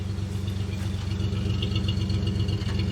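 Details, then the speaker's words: 1967 Jeepster, Buick 225 V6, ME Wagner adjustable PCV, suspected intake manifold gasket vacuum leak, mixture set rich; microphone near exhaust; steady low idle with odd dropped beat; intermittent misfire at idle, probably one cylinder still lean. "And you can hear that every now and then there's a miss. So again, the That miss is probably because one cylinder's still a little bit lean."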